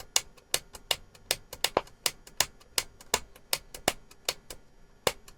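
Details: Transistor radio after its volume control and band-switch buttons were worked: only irregular sharp clicks and crackles come through, a little over one a second, with no steady programme, as the radio cuts in and out. Cause not confirmed.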